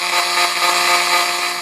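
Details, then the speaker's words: Roland MC-505 groovebox after a tone-generation IC swap, with digital noise on half of the tracks at the main/mix output: after a while a steady fixed-pitch buzzing hum with hiss persists even with no notes playing. "After a little while, it just starts this humming."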